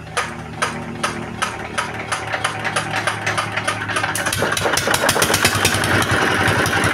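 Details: R180 single-cylinder diesel after sump replacement, with oil indicator now normal. Even, firm thumping about three beats a second quickens smoothly with revs, with no knocks or rattles; running sound.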